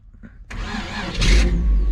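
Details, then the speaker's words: 1977 Chevrolet 4x4 truck with small-block Chevy V8, ditched project, hot-wired to the starter and distributor: starter whirs briefly, the V8 fires right up and settles into a steady, even idle with no misfire; normal start. "and oh baby we got us a runner of course to turn it off you got to disconnect that and kill the power that sucker fired right up this thing started better than half the stuff I own"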